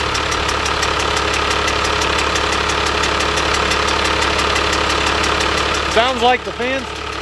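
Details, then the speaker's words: 1997 Dodge Cummins 12-valve 215 hp manual, wrecked front end, no coolant, just started after bleeding the injection lines: steady idle with a fast even tick about three a second. Seems out of balance, having hit something; cause unconfirmed. "it's way out of balance it's definitely hit something but it actually started really freaking good"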